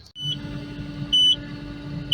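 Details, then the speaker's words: Takeuchi TL12V2 at -30°C, restarted after about 10 minutes off, then shut down again while moving snow; diesel hums steadily with sharp high beep about once a second: same fault code returned; owner suspects gelled fuel, plans to add more additive. "anything other than that it seems to shut it back down this one here just through this code again on me"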